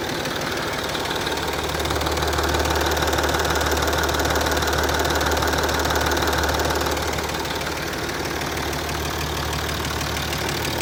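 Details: Land Rover Discovery 3 2.7 TDV6 diesel, hot engine at idle: steady knock of about three per second over the diesel clatter; internal hot-engine knock, cause unknown.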